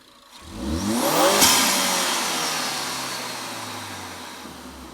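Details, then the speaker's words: 2017 Ford Focus ST turbo with a newly fitted Green Filter performance air filter in the stock airbox: a quick rev rises and falls, then a soft whoosh as the throttle closes and the bypass valve vents pressure; a healthy turbo engine. "with the intake installed, you can hear quite a bit of difference. The intake, you can actually hear kind of the bypass valve, a little bit of that whoosh noise as you let off of the gas and the pressure gets released."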